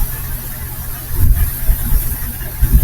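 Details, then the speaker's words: Ford 460 big-block V8 in a Holiday Rambler RV (given as both 1994 and 1996), woken after sitting and running on a newly hooked-up fuel pump, idles with a steady even rumble and no knocks: normal idle. "as you can hear, it's just sitting right here just purring along."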